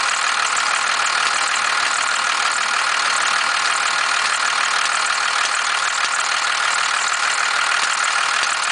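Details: 1991.5 First Gen Cummins 12-valve diesel, cold start at about -10, idle: fairly regular clatter of about three taps a second over a hard rattly drone, with slight squealing; weird knock/rattle of unknown origin.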